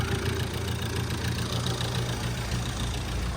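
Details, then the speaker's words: Vauxhall Astra H van, Z19DTH 1.9 diesel with new injectors, after top-end rocker repair, engine sitting on bricks without an engine mount: lumpy wavering idle about three or four pulses a second; owner unsure of cause, wonders about missing mount. "Why does it sound like that? I mean, it does have new injectors on it, but it's [ __ ] running. It sounds like it's got like a a cam on it, like an upgraded cam or something."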